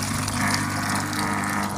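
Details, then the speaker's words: Saturn/Deiant-type washing machine that wouldn't drain, after money was cleared from the drain valve: drain tap opened, steady low pump hum over rushing water, no clicking or rattle, strong flow into the bucket; normal drain pump running. "зараз відкриваємо кран зливу машинка працює напор ловкий біжить наповняється відеречко"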